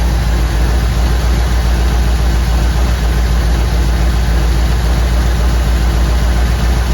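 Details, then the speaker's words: 1959 Ford wagon V8: a loud idle with an irregular lope and a missing beat. Cylinder misfire on number eight, suspected bad plug or plug wire. "here it is 150 number eight St fire all right got a bad plug or bad plug wire"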